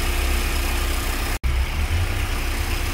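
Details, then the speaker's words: VW AP 2.0 8v engine, warm idle after new INA tensioner and Gates timing belt; rough rhythmic whirring chatter from the upper tensioner area, absent when cold, stops when water is applied; belt noise suspected, cause unconfirmed. "aqui já dá para ouvir bem direitinho o barulho e ele vem aqui da parte superior do tensionador ou da"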